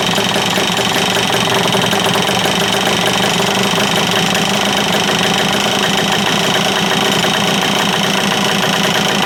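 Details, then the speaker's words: Free stand-up jet ski two-stroke, fresh fuel with stabilizer, choked, something detached reattached: harsh, ragged clatter at high idle with an uneven, rattly edge; runs rough, judged good enough for the lake. "Alright, well, it kind of sounds terrible, but good enough for the lake."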